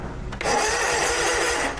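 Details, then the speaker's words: Snapper zero-turn mower, basic-wired with 30-amp inline fuses; the starter still lags even with proper wiring. Loud, harsh, raspy whirring while cranking for over a second: a worn starter that needs replacing. "You can hear how loud that starter is. It's time for a new one."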